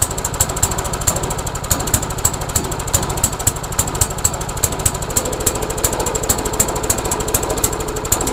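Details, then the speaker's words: MTD Yard Machines lawnmower with a Briggs engine, carburetor and gas tank already replaced, after bending the bail linkage: the small engine pops unevenly with hunting speed, as if choked heavily; the owner wonders if the governor is bad. Rough running. "weird it's almost like it's choked like crazy H I wonder what would cause this this is bizarre"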